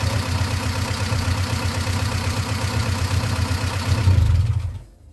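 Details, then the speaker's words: 1995 Plymouth Neon at idle: loud steady rattly top-end clatter from startup, suspected rockers not pumping up from plugged passages; oil pressure about 40 psi cold at idle; before Motor Medic crankcase flush, cause unconfirmed. "so that way you can hear the amount of noise that's coming out of this thing it's clattering quite a bit"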